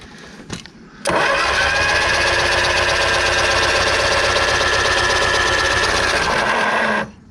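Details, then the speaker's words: 1970 Ford Escort MK1, cranked after oil flush with no points fitted and plugs out: starter spins steadily about three turns a second for six seconds, no firing strokes; no spark, cranks but won't start. "hey we need we need some points i mean to get a spark and then we can do marcus's favorite um saying how much what is it is it sucked bang the squeeze suck bang squeeze up"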